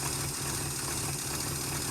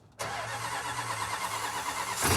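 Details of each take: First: 440 V8 in 1971 Chrysler Newport eight-door airport car, run with no coolant after cracked block patched with JB Weld: steady smooth low-rumble idle, no knocks, misses or ticks, not leaking; normal idle. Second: 1971 Chrysler Newport eight-door airport car with replacement 400 cu in big-block Chrysler V8, cold start in freezing weather with starting fluid: cranks, catches, idles unevenly with lumpy stumbling beat, smoother once choked richer. Rough running after cold start.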